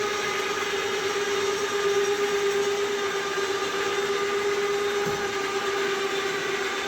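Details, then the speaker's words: Cheap ATV winch, newly installed, pulling under load: steady high motor whine near 400 Hz with a rough buzzy edge, yet it works as intended; cause unknown; noisy winch under load. "sounds like hell but it's working let's hop off here and take a look so it's doing what it's supposed to"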